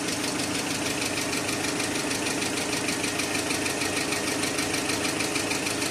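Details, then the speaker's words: Engine idling with fast, fairly even light hydraulic lifter tapping, about three taps a second; engine flush did not help, additive greatly reduced the knock, nearly gone by the end. "залил присадку мы услышали стук конечно гораздо меньше под конец уже почти исчезал"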